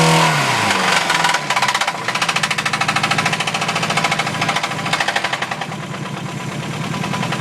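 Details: Mazda B2000 petrol engine revved hard: loud, heavy metallic rod knock pounding several times a second; the owners were trying to throw a rod through the block.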